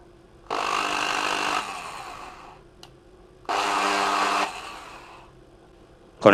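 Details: Bosch corded drill before repair, running slow: two short bursts of rough buzzy whine, then winding down; brushes were worn, later a dirty motor seat and poorly contacting power cord were found.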